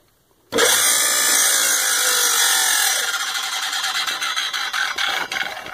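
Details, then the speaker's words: Baldor CL3509 1 HP 3450 RPM electric motor, auction find with new cord: high steady whirring with scraping rub and fine ticking as dented rear fan shroud rubs the cooling fan. "it fires up real fine it I'm here any other noises besides this fan shroud actually rubbing up against that fan so I'll take that off see if I can break it back out and get this thing fixed up so it actually runs quietly and quickly the way it's supposed to"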